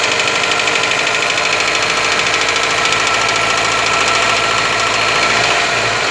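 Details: Toyota 4S-FE engine held above idle: hard, uneven knocking over a busy top end appears above 1500 rpm; cause not confirmed.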